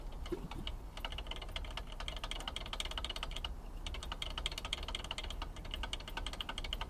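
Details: E60 engine: fast, sharp ticking knock over a low engine rumble; connecting rod knock, with play found in the rod after a repair crankshaft was fitted.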